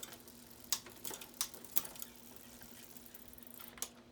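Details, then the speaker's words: Cheap used Trek hybrid bike being fixed up: a quiet run of crisp single clicks as the chain steps across the rear cogs, no grinding or chatter; rear derailleur shifts perfectly, only the low-gear limit bolt needed adjusting. "And it looks like the back gears shift perfectly."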